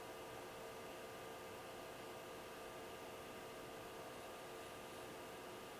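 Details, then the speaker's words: Loud stock power-supply cooling fan in a Hikvision DS-7608NI-K2/8P NVR, recorded with the recorder on top of the NVR before swapping it for a Noctua NF-A4x20; steady even whir with a thin constant hum, no pulsing. "now the reason why I am replacing this fan is because it's pretty loud"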